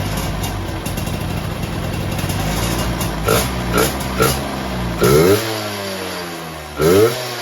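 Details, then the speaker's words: Ninja RR VM28 carburetor upgraded with a PE28 slide: engine idles, then quick revs rise and fall cleanly with crisp mid and upper throttle; low rpm runs lean from an undersized pilot jet but overall response is normal. "Udah oke nih RPM, asal udah naik dikit terus di gaspol udah enak."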